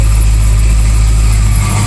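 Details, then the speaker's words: 1993 Ford Mustang Foxbody hatchback stock V8, unknown history, with oil pressure: deep steady idle with a thin constant supercharger-like whine; owner believes a bad alternator, maybe another faulty accessory; no shaking, no blow-by. "Sounds like it's got a supercharger, but it's just a bad alternator, I believe. Maybe there's another accessory that's no good, I don't know."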